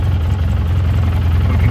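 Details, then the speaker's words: 2011 Polaris Ranger HD 800 fuel-injected UTV, all-original engine, 1,211 miles, idling while it warms up. Deep, steady low thrum at the correct idle speed, without misses or rattles; a healthy idle. "that's back to the tachometer you can see it idle just fine right where it's supposed to"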